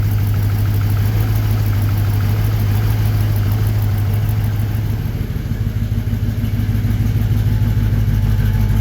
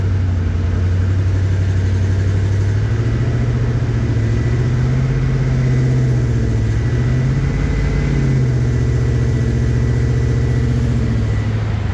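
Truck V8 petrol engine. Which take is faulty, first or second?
first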